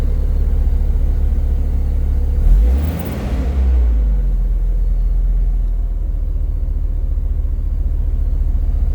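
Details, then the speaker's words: Mopar V10 dually truck after throttle body cleaning and air filter replacement, once the post-cleaning misfire cleared: deep, even rumble with one quick throttle blip settling straight back, no stumble or miss; normal running. "Oh yeah, that sounded a lot better. Lots better. Much more better."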